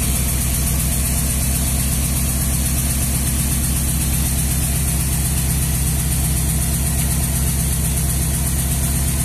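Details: Nissan 200SX misfiring at idle: low, lumpy idle with an uneven beat about three times a second, rhythm stumbling now and then.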